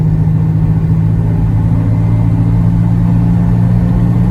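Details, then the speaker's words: Volvo 240 with new B cam, adjusted shims and Redblockpowered ECU/EZK, floored on the road around 60 with cargo in the back after months in the shop: loud, clean, unbroken roar that still breathes at the top, no hesitation; normal acceleration. "Ooh, it still breathes at the top. That's nice."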